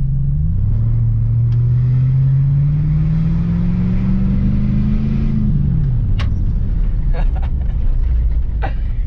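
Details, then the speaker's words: At operating temperature, light acceleration; ticking under load was traced not to the EGR but to two loosened rear bolts, retightened, gasket undamaged: warm engine pulls smoothly, drone rising evenly then easing, no ticking; fixed. "yeah it's gone no more ticking i don't know how those two back bolts came undone"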